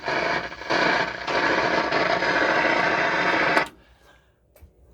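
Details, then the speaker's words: Akai AA-R40 stereo receiver with intermittent volume control; loud hiss and crackle at minimum volume, then cutting out abruptly; owner hopes for a loose solder joint; loud static at minimum volume, cause unconfirmed. "And not only that, but it's at 0 right now, or the least amount of volume, yet it's loud."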